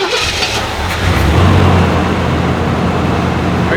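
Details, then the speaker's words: Chevrolet Monte Carlo SS parked 20 years indoors, started after only adding fresh gas; brief crank, catches quickly and settles into a steady, even idle with no misses, normal start and idle. "you kidding me oh my God it's perfect"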